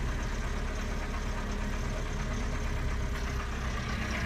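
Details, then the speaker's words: 1985 Toyota 22RE cold start at idle, timing chain replaced: rapid, loose clatter over the engine beat; owner suspects timing chain slack, unconfirmed. "I decided to do a little video on my cold start of this 22 re 1985 Toyota it sounds terrible as you will see in a second"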